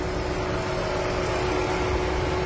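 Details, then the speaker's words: Lexus CT200h hybrid after engine replacement, driving in EV mode: engine off and not shaking, only a steady, even mid-pitched cooling fan whir over light background noise; normal once the inverter has recharged the rear battery. "Maandar yung pan niya, pero nakapatay yung makina niya, no? Tingnan nyo, hindi nanginginig to."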